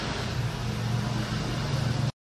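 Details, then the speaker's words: Electric fan that hummed and would barely spin, after replacing worn front and rear shaft bushings: on speed 3 it spins fast with a steady, even low hum, no scraping, ticking or wobble; normal fan running. "ini 3 ya putar kencang Alhamdulillah ya sudah bisa"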